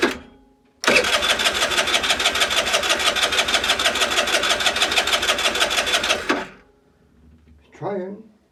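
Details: Longjia 50cc two-stroke scooter, run off a 12 V portable jump starter with no battery, after carb cleaning and electrics sorted, having had spark and fuel: it catches and buzzes evenly at a quick, steady beat for about five seconds before shutting off; runs properly.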